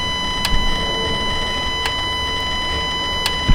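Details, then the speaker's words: 2018 Dodge Ram Hemi V8, warm idle after intake manifold removed and MDS solenoid wiring checked with no codes: sharp clicks about every 1.4 seconds, the deactivation solenoid switching normally, louder once warmed up. "all right so you guys can hear that one clicking on and off they quite a bit louder now that it's warmed up"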